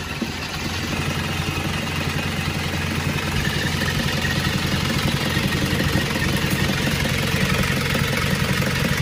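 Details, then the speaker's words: Isuzu Panther diesel from Rembang, Central Java, before teardown: rough, clattery idle with uneven puffing. Heavy blow-by (ngobos), with oil reaching a wet intake manifold; the engine appears poorly maintained. "Teman-teman, ini adalah pasien kita berasal dari Jawa Tengah. Dibawa ke sini dengan kondisi mesin yang ngobos."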